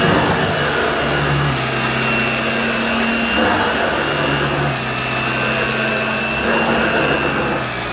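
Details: New Dirt Devil Broomy Broom Vac 750 upright (325 W, 50 Hz) with a new belt and bag, pushed over carpet. A smooth, even whirring hum whose pitch barely shifts, with no rattle or strain, normal running of motor and belt.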